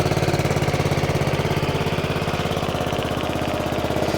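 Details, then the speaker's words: Honda Forza 125 scooter first start after starter-alternator replacement, engine warning light on: fast even puttering idle with sharp chuffing on each beat; exhaust leak from a large hole at the O2 sensor area. "And, uh, sounds like he's got an exhaust leak. Maybe not. Yeah, he's got an exhaust leak. Yeah, got a hole in the exhaust for good measure right there."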